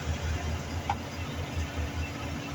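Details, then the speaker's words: Mercury Grand Marquis; owner complained of a metal-on-metal rattle, thought to be suspension but heard at the exhaust pipe. Idling and shifted into gear, the low rumble is steady with no tinny buzz or rattle, and the noise is not reproduced without any repair. "Ahí está ya está arreglado este vehículo Ya me gané mis $30 mis 0 y la propina no me no le metí mano no hice nada No más lo revisé"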